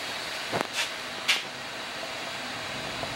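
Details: Trane XL 1200 cooling-only condenser that tripped its breaker, bad crankcase heater found by megohm test and disconnected: even fan rush and compressor hum with light clicks, holding steady without cutting out.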